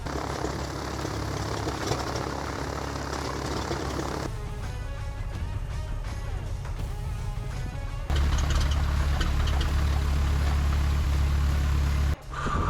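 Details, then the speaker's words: Newly overhauled engine in a Piper Saratoga, first start in years after two years sitting; fired right up, good oil pressure, low fuel pressure reading (gauge suspected); deep steady drone at low idle, even firing, no knocks or misses; normal idle. "right, she fired up. I don't want to run her up very much. Everything looks good."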